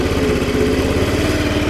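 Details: 50cc Chinese GY6 scooter idling after replacing an exploded variator: steady, even putter with no clanks, knocks or grinding; idling smoothly.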